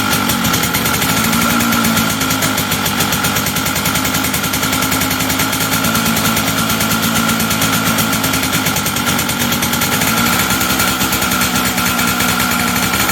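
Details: Two-stroke engine after air-leak pressure test and repair: fast, even crackle of firing pulses at steady pace, no stumble or ping; running normally, though owner guesses ignition timing may be way advanced.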